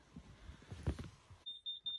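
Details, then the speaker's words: Carbon monoxide detector in a hot tent, sounding during a smoke back-draft test; after a muffled rustle, a shrill high beep pulses five times in quick succession; carbon monoxide alarm sounding. "oh one of them's going off which one let's see if i can hear it from this side i think it's the one at the top"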